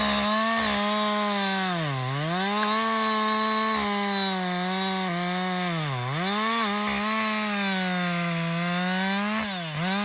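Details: Husqvarna 562XP 60cc chainsaw, after a dealer reflash of its software for dying when hot and stumbling, bucking windfall: strong steady high revs sag briefly into each cut and snap back, clean and crisp; normal under load.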